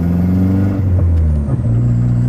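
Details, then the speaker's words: Golf GTI MK4 turbo driving after the fault code was cleared while the map is being sorted. Steady, even engine drone rising and settling smoothly with no stumbles or misses; runs clean and no longer fails. "O carro deu uma alisada boa só de pagar o erro galera tem uma alisada boa mesmo tipo ele não falhou nenhuma vez agora a gente tá andando com o carro aqui ó Tipo ele tá falhando nada tá ligado"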